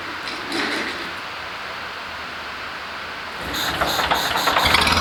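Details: International Harvester Cub Lo-boy tractor, freshly rebuilt C60 engine: ragged, lumpy beat that won't settle to smooth idle; carburetor flooding itself, gas piling up, making it hard to run consistently.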